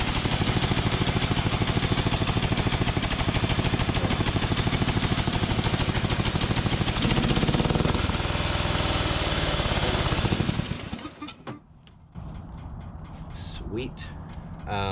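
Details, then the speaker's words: Craftsman DYT4000 lawn tractor single-cylinder engine after fuel tank, carb and valve work: uneven, lumpy beat with wavering tone before shutting off, carburetor problems still present, plus slight noise from drive-belt tensioner pulleys; transaxle works. "yeah obviously some some carb issues and i can hear a little bit of noise from those uh tensioner pulleys on the drive belt"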